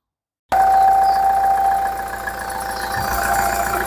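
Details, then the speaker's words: Engine after repair of an exhaust manifold leak that had been mistaken for turbo noise: it catches and settles into a smooth, even idle with no hiss, ticking or puffing at the manifold; sounds healthy. "Efectivamente era un escape, lo resolvimos y les voy a mostrar cómo quedó sonando este motor y esta bicha quedó totalmente lista."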